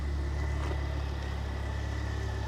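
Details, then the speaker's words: Car back in after a warranty camshaft fix on a forged engine build with forged pistons, rods and slightly bigger clearances: steady, even, quiet low idle with no knocks, ticks or misses; healthy. "And that quiet. >> It is. >> It's lovely."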